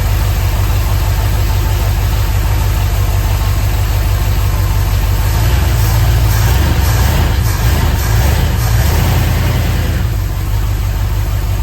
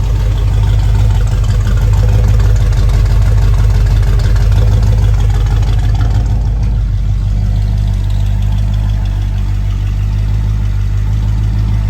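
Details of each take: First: 1976 Ford F100 with a freshly installed 351C V8, first fire-up on break-in: deep rumble with a slightly uneven, lazy idle, no knocks or ticks; ignition timing is set a little low (retarded) and needs adjustment. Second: 1976 Ford F100 with freshly built 351 Cleveland V8, just installed and broken in after stand run: smooth, quiet even idle with mild lope from a non-aggressive cam and light rev blip; possible faint valve tap, valves to be adjusted.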